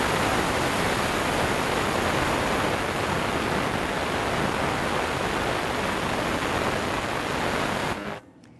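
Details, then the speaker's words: Omegasonics ultrasonic cleaner running at 100% power, then reduced stepwise: steady loud cavitation hiss in the tank, then drops away; louder sound means more cavitation energy; normal operation. "the feel the cavitation energy the sound are all related the lower the volume of sound the less energy I'm putting into the tank"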